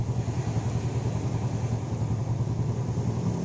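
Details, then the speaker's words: Yamaha Jupiter Z carbureted single after vacuum/fuel tap fix (previously no idle, hard starting, black plug): starts on one kick, low even putter about three and a half beats per second, stable idle without stumbles; normal idle. "sekali engkol aja langsung nyala nih jarang sekali engkaulah nyala-nyala terus langsamnya juga stabil"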